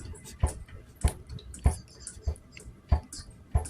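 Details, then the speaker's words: Royal Enfield Classic 500 EFI: the loose fuel tank slid back and forth by hand gives six dull, evenly spaced thuds against its front rubber mounting buffers, the cause of a tank rattle felt just above idle. "it's sliding and hitting the rubber buffers so I just want to see what's going on underneath and whether I can stop that annoying noise"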